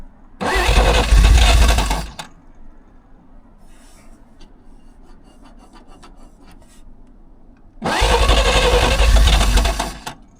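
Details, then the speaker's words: 1938 Chrysler Imperial, suspected flooded with too much fuel, fuel pump off: two long bursts of steady starter cranking, about three turns a second, engine trying hard without a clean catch; hard start. "trying. >> Yeah, it's trying hard."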